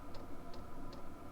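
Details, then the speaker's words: Vevor diesel heater on its lowest setting after 20–30 minutes of running in a cold camping setup: steady sharp ticks about 2.5 per second over a low hum, from the fuel pump clicking; normal dosing pump operation. "heater's been on for almost 20 30 minutes now as you can hear the fuel pump is still clicking"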